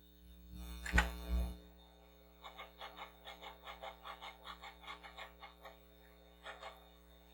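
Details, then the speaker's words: Commodore SX-64 floppy drive after head cleaning and rail lubrication, different disc: quiet motor hum with a neat run of quick soft head-step ticks, reading normally and loading much faster. "it's better much better there we go so now this thing's loading up a lot better A lot faster"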